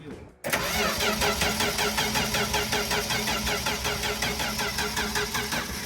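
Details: 1964 Dodge D100 truck that had sat since 1996, cranked with very little fuel: the starter turns it evenly at about 160 beats a minute with steady compression pulses and builds oil pressure, but it doesn't fire.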